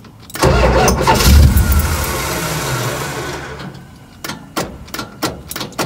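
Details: 1969 Dodge Charger, 318, daily driver, after distributor reinstalled and roughly timed, started without touching gas: cranks, fires, runs rough a few seconds, sags and dies leaving clicks; starting fault of unknown cause.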